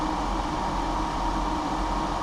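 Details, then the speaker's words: EcoFlow WAVE 3 portable air conditioner installed in a kei car, cooling at 16°C set point at maximum fan speed, about 63 dB: steady even rush of air, earlier high-pitched mechanical noise gone; normal running. "Bây giờ, tiếng ồn cơ học the thé đã biến mất."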